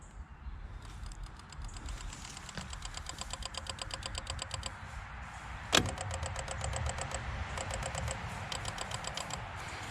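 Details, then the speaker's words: Newly mounted Warn VR EVO 8000 winch on a Big Tex 70CH car hauler trailer, remote lit, gives rapid solenoid clicking in bursts but does not turn; battery is no good, as the winch works when jumped from the running truck. "so i don't know if you could hear that clicking sound if that came out in the video but uh bottom line is this battery's no good"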